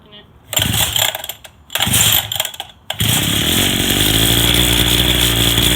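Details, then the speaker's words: Go-kart small engine that sat for a long time, on its first start after a carburetor replacement: sputtering catches and pops, then a loud buzzing run that wavers; it still needs more carb adjustments. "it does need a little bit more adjustments here and there but overall it does very well"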